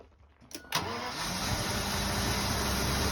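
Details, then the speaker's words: 1986 Jaguar XJS after repairing rat-damaged wiring for crank-no-start by connecting two small wires, vacuum hoses still unsorted: brief crank, catches within a second and settles into a steady, even run; normal start. "get some [Music] gas I see hit a little bit of gaso she running running I"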